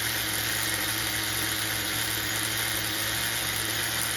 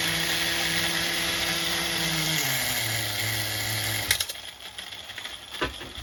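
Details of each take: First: HPI MT2 nitro RC engine after carburetor tuning (bottom leaned, top richened), tank nearly full: a steady, even, buzzy idle that holds level without surging, believed to be single-stage, still slightly rich. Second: HPI MT2 nitro RC engine during carburetor tuning, richened at the bottom end: it idles at one speed, then drops to a second, lower idle before cutting out. A mistuned carburetor gives this two-stage idle, later fixed by leaning the bottom and richening the top.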